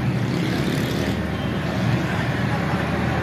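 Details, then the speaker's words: Gas compressor (Kada 850G) after repair: previously vibrated and was very loud; after removing the bottom screws its noise is gone. Steady, low, even hum with no rattle or knock; runs smoothly and quietly. The fault was its tikki. "जो पहले बहुत ज़्यादा आवाज़ भी आ रही थी, अब इसकी आवाज़ भी नहीं आ रही, चल तो रही है लेकिन इसकी अब आवाज़ नहीं आ रही।"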